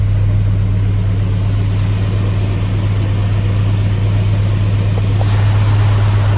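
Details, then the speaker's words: Jeep Grand Wagoneer with Hemi swap, after replacing IAT, MAP, EGR valve and coolant temp sensor, now firing up faster without stumbling: deep, steady, even idle, no skipped beats; runs smooth, some exhaust leaks audible. "I mean, this motor is smooth as silk."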